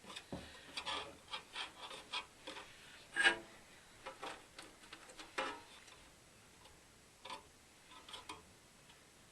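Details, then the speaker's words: Eighties Ebac dehumidifier fan being turned slowly by hand with a spanner: faint, uneven scrapes and light rubs as a blade catches on its housing. The fan still spins reasonably freely. "the fan spins reasonably freely but I've got the King dick spanner here and I'm just gonna use this here we go so where's that scraping"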